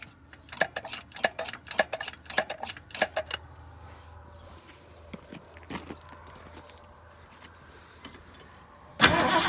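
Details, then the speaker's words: 1972 Ford Maverick being revived after a decade of neglect, with gas poured into the carb bowl and the choke disconnected: uneven cranking bursts, then a faint rough drone; it is hard to start and stalls unless throttle is held. A plugged fuel filter is suspected. "I think our problem it's gonna be that filter I believe it's plugged up and she's just not sucking that fluid"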